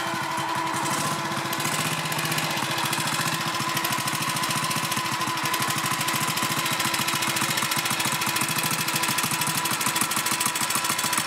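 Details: BSA M20 single-cylinder motorcycle at steady idle: thumping beat with a faint extra clatter that stops and resumes, hard to hear; intermittent engine noise, source not pinned down.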